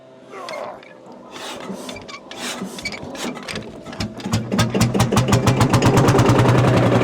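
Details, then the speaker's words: Marshall single-cylinder two-stroke tractor started by hand-winding, with a glowing heat wick screwed into the front for extra heat. Slow uneven thumps while turned, then it fires and settles into a quickening, steady chuff; a clean, healthy start. "I'm just going to Once to actually start the damn thing but and here we go for a winding wish me luck"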